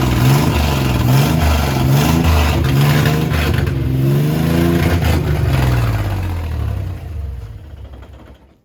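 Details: 1967 Jeep CJ5A with Dauntless V6, dual exhaust, just revived after sitting in a garage: deep even exhaust note swelling with each throttle blip, then settling and dying away; smooth revs, engine healthy.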